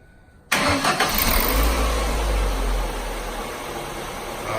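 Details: 2002 Ford Focus SOHC after dropped valve seat repair with JB Weld and fuel pump replacement: cranks briefly, catches cleanly, settles into a steady even idle with no knocks or misses; normal start and idle.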